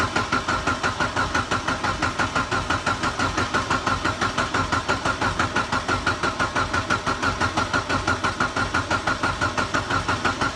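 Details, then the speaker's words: Mitsubishi Evo 8 first start after engine rebuild following piston and cylinder wall damage: even, steady idle with regular firing pulses and no knock or tick; sounds healthy and much better than before the rebuild. "actually sounds healthy not going to lie the last time yeah starting up the car it sounded bad"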